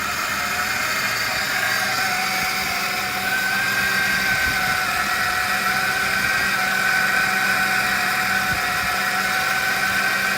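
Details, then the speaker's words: Engine running again after a long sit, intake boot off and some cruise control lines broken, with power steering pump whine: a steady idle with a constant airy hiss and a faint whistle on top, from a vacuum leak. "But you can hear there is some vacuum suction"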